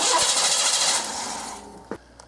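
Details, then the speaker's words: 1989 Oldsmobile 3.8L 3800 V6 with intermittent stalling, now a no-start: the starter whirs steadily and stops without firing; no spark and no crank position signal, linked to damaged wiring that runs when wiggled. "absolutely no spark at all so what that's telling me right now is we have no crank positioning going on okay"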